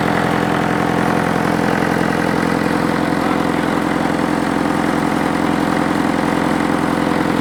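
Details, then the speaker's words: International tractor diesel engine, revived after sitting years outdoors, air filter cover off: steady, even idle at a little over three beats a second with clear induction roar, no knocks or misses, some smoke starting; runs healthy. "it's running pretty clean starting to starting to Chum a bit out now but it's just magnificent it sounds great I've got the cover off the air Fielder so you can hear a bit of induction noise"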